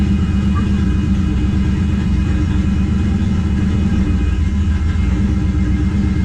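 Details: 1969 Plymouth Valiant, 360 Magnum, TF727, narrowed 9.25 Chrysler rear end with 3.55 gears, after replacing pitted pinion bearings, in gear with wheels turning: steady low drivetrain rumble, no whine or growl; rear end quiet.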